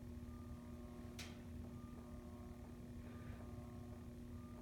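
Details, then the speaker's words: Menards Turn of the Century ceiling fan on solid-state variable speed control, low speed drawing 0.25 A: steady low electrical hum with faint higher tone under turning fan; motor too noisy for quiet rooms. "This one, that's one thing, these motors may be a little noisy. Yep, already hear the hum."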